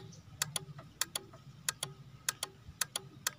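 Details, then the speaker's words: Honda Beat injection scooter that won't start, with no spark from coil to plug and no fault code: pressing the starter with the key on gives sharp paired clicks about every 0.6 s over a faint hum. The black relay is chattering. "nah ini bersumber teman-teman di sensor di relay warna hitam ini relay yang berbunyi-bunyi"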